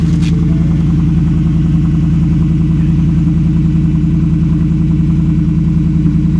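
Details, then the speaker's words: Ford Coyote V8 at a Copart auction, fresh start with loud exhaust and check engine light on; settles into a steady, even burble with no misses or knocks and no smoke. Normal idle. "okay this that's a good sounding coyote guys no smoke either"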